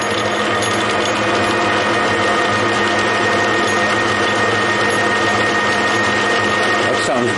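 Light, even whirring with a faint steady tone at low lathe speed and no knocks or rough patches; the gears mesh smoothly.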